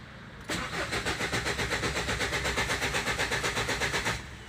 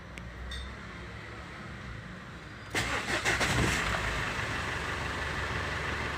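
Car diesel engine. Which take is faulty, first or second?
first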